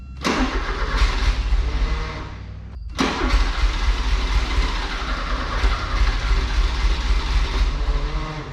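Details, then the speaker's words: Crank no-start on a 1984 Porsche 944 that sat a couple of years, with the fuel pump running: the starter churns in bursts and it nearly catches but won't run; owner suspects bad gas ruined the injectors. "oh she's close what was just that bad gas that ruined the injectors maybe hopefully it comes"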